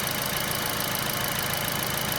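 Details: Kia All New Picanto idling after its alternator was replaced with a Mire unit because of low charging: a steady, even idle with a smooth hiss and no squeal or roughness, with the charging working properly.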